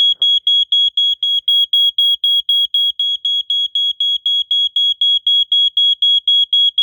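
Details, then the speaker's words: 1987 Wake and Warn 2 smoke detector, good unit, triggered with the last test spray: loud high-pitched beep pulsing steadily about four times a second in a quiet room, staying on a while; smoke alarm sounding normally. "okay wow that stays on for a while"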